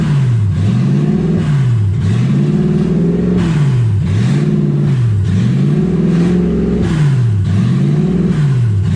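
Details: 1UZ V8-swapped Ford Falcon, warm with radiator hot and temperature about 160, first drive: the idle surges and sags about every second and a half, never settling. Owner unsure why; hunting idle.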